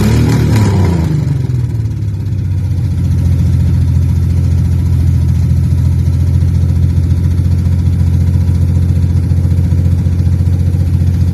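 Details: Freshly revived petrol engine's first start-up, idling through open extractors: catches, then steady idle with an occasional pop breaking the rhythm; misfire blamed on a bad distributor cap, due for replacement along with the rotor button.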